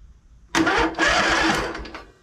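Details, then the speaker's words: Poulan Pro zero-turn mower, battery about 12.4 V, after a blown fuse, safety switches engaged: starter churns about a second and a half and the engine turns over but doesn't catch. "all right we're turning over we're making progress"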